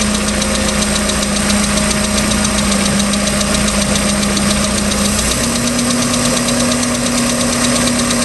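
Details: 3.0L Mercruiser boat engine, second owner, ticking started at beginning of season: rapid light ticking over a steady idle at engine speed, persisting through a small rev change; cause unknown.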